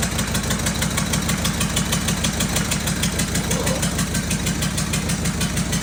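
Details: Freshly fitted, bled diesel engine in a cheap recovery truck idles with a loud rhythmic chopping clatter about three beats a second, helicopter-like; injectors refitted after seal replacement were found damaged and knocking.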